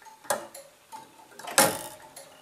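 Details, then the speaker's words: Gents master clock: soft even ticks with one sharper clack as the escapement wheel lets the solenoid close, pulling the arm down to impulse the pendulum; normal. "solenoid to close pulling the arm down which gives the pendulum the energy to continue the swing"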